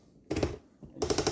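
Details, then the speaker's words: Rock Island Armory VR-80 12 gauge shotgun reassembly: two short bursts of crisp detent clicks while screwing on the fake muzzle device, normal clicking. "it in you'll hear that clicking noise is normal don't worry about it and that hand guard is pretty firm"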